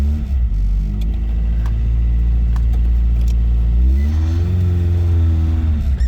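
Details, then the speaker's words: Toyota AE86 after replacing the faulty new starter that was making an awful noise against the flywheel: engine catches with a deep rumble, blips, settles to a smooth even idle; starts and runs normally. "Perfect all right she starts she's running okay now I'm going to put the ramps away and then we're going to drive it and see how she feels"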